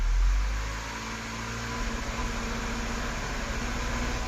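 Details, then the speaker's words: Audi A5 in gear with brakes on under load: slightly uneven, stumbling pulse, per-cylinder misfires with no warning lights, caused by wrong spark plugs installed. "there's no lights on but these uh spark plugs that are installed they're the wrong ones and this engine is misfiring on the load"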